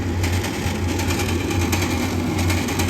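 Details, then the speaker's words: Gas furnace draft inducer motor after ignition: loud, rough drone with a throbbing low hum and a rattly edge, sounding ready to come apart. The draft inducer is failing and needs replacing. "this thing's about to sounds like it's about to come right off there yeah all right it's pretty obvious we need to get him a new draft inducer"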